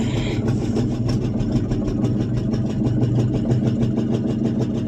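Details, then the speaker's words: 1974 International 200 two-wheel-drive pickup with a once-seized engine, restarted after possible flooding following about 25 years of storage; an even, quick exhaust beat that holds steady without stumbling, a smooth V8 idle. "Come on. Look at that idles. That's pretty neat."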